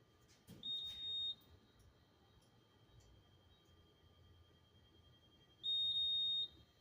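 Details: Honeywell Notifier fire alarm panel at a rail station: two high, steady electronic beeps about five seconds apart over a quiet room, panel warning tone, meaning not known.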